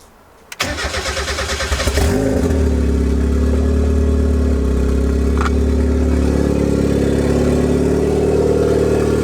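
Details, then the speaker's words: Turbo Miata four-cylinder, first start after the turbo build, injectors reconnected: cranks, catches and settles into an idle that wavers and hunts. Base idle still needs adjusting; coating burning off smokes. "got to do a little bit of research figure out how to do that adjust the base idle because I want to have it more drivable so I can take you to the dyno because right now it's kind of all over the place"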